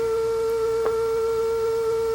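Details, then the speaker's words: Sony CFM140 cassette player after fixing a twisted takeup belt that flipped over each turn: steady, clean tone with no wobble or periodic dropout, tape running at even speed; sounds better, repair a success, speed okay. "that sounds a little better okay so I think we can put this one back together and call this one a success"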